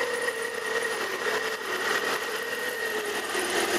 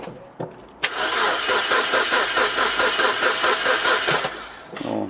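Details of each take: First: Imported car after repairing a cam angle/intake camshaft sensor connector that had been fitted with a mismatched terminal, fault codes cleared: starts and runs smooth and even with a steady high whir over a light hum; belt noise noted at initial startup. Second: Imported car cranking after intake camshaft sensor replaced: starter spins the engine evenly about three and a half seconds but it never fires; no start suspected from a mismatched, melted camshaft position sensor connector whose pins don't seat.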